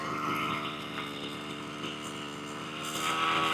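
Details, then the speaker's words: 1/5th scale petrol two-stroke RC car, after turning in the tick over screw because it dropped to a low idle and stalled: high, buzzy idle drifting slightly up and down; idle still unstable and needs more adjustment. "Still a little bit up and down, but I think it needs a little bit more attention and just a bit of an adjustment, to be honest."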